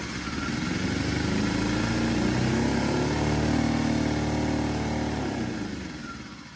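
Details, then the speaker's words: Small engine not started for weeks to months: it catches, climbs to an uneven, wavering buzz, then sags; the labored running and possible stall are normal after sitting, because dry diaphragms don't pump fuel or seal check valves well. "Now, even though the engine's running, you might be able to hear that it's slightly labored, and sometimes it might even stall shortly after starting. This is really normal for an engine that hasn't been started in a number of months."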